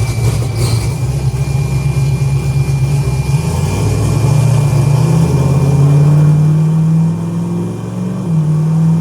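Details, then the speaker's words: Ruby running Leroy's old engine on the dyno after 13 months, about 1,000 hp: pulls hard with a rising note under load but stutters and breaks up during the pull; tuning work still needed. "you hear it breaking up on the way up too Nate yeah that's why I was trying to clean up some of that stuff"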